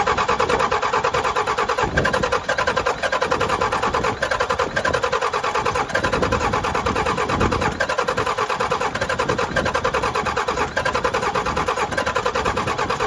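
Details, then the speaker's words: 12-valve Cummins diesel in a rollback tow truck, rebuilt with cheap Amazon pistons after a melted piston: steady rhythmic cranking at about two beats a second, never fires; owner suspects air in the fuel lines. "all right well this thing won't start"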